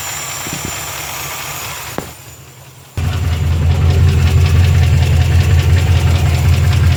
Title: 350 5.7 Rebuilt Engine Knock